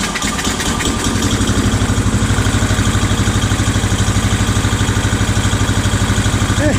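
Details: Old Scag hydrostatic walk-behind mower engine, first run after new carburetor and ignition coil fitted, throttle just off idle: steady, even thumping with no misses or surging; running properly.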